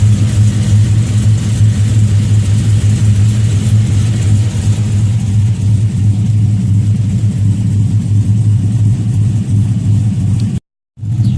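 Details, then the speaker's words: 2007 Chevrolet Avalanche V8 with Stage 3 Texas Speed cam, just fitted with OBX long tube headers: deep lumpy burble with choppy cam lope, steady and strong through revs; normal idle and revving. "Yeah, man, I finally got them on there, man. Finally got the job done. Sounds good. Sounds great."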